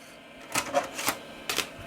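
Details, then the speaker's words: Floppy drive in a restored early-1990s Dell 486P/20 (486SX 20MHz) trying successive old disks: ragged bursts of clicking and chattering retries with pauses; read errors. Owner suspects badly stored disks and fears they may have dirtied or damaged the drive's heads. "That doesn't sound great either. Let's try the third one. Oh, that sounds terrible too."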